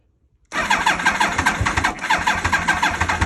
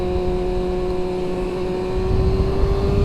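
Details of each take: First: 2000 Yamaha R1 (5JJ), bought as a project, on a borrowed battery with the choke on: the starter churns steadily at about three turns a second for nearly four seconds and never catches; cranks, won't start. Owner suspects dirty carburetors. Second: 2000 Yamaha R1 (5JJ) with carburetors, test ride under hard acceleration in second gear: engine pulls hard with steady climbing note, no rev flare; transmission holds second gear without popping out.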